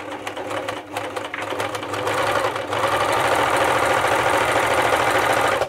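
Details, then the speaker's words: Elna T34D serger/overlocker before service, running fairly slow with tight handwheels; even rattling stitch beat of about three per second that sounds sluggish and labored; slow, stiff running. "It's also running fairly slow, and I can feel the hand wheels pretty tight there."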